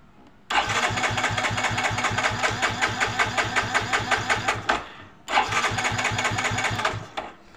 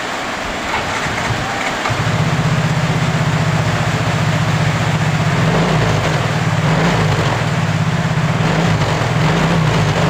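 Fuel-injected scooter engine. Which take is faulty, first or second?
first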